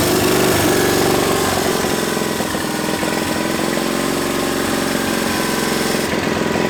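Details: 700cc twin-cylinder military standard engine built 1987, long-stored and possibly never run, on repeat start: steady chugging idle at about three and a half beats a second, no knocks or misses; healthy.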